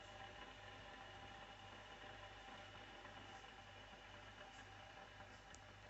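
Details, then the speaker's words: Philips Senseo Select CSA240/91 pod coffee maker making a two-cup espresso with two pods, light blinking while the water heats: quiet low hum pulsing about once a second over a faint hiss; normal heating and brewing. "La machine clignote, ça veut dire que l'eau elle chauffe. Donc on entend."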